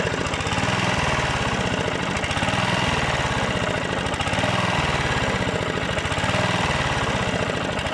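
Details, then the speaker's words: Rebuilt Honda GV150 mower engine (transmission still disassembled) hunts, speed rising and sagging every second or so; owner suspects ignition, coil, unreplaced spark plug, or the fuel filter. Cause unconfirmed. "après il ya peut-être de filtres à essence peut-être un peu poussé"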